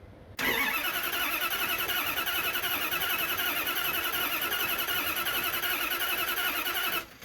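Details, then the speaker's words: Carbureted engine, unprimed, with new starter: fast even whirring crank for about six seconds without catching; starter spins strongly and sounds healthy. "the new starter sounds healthy yeah"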